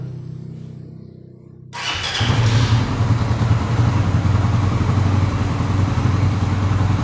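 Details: Suzuki Satria FU motorcycle fitted with a homemade Arduino relay alarm, started: the engine catches after a couple of seconds and settles into a steady, even, deep idle with no odd noises. Normal start and idle.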